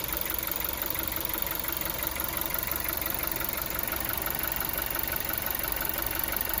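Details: Volkswagen Golf 7 TSI engine idling with a regular light knock roughly once a second; knock at idle of unknown cause.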